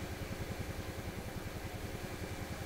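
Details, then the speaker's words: PYE 39HC shortwave broadcast receiver, untuned and picking up noise: soft, fast, even low thumping ("bum bum bum") under a faint hiss. Audio motorboating, cause not yet found. "What I hear is a very soft bum bum bum bum bum, fast bum bum bum like that."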